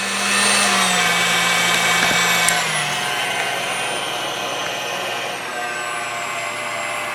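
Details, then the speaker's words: Older KitchenAid mixer on low speed after a grease repair. The hum drops as it slows and carries a steady, slightly coarse buzz; it sounds a lot better than before, and the remaining roughness is thought to come from the motor's own slower gear, not the gearbox. "Now turn it on low. It still sounds rough, but the grease is gonna have to work its way through, right?"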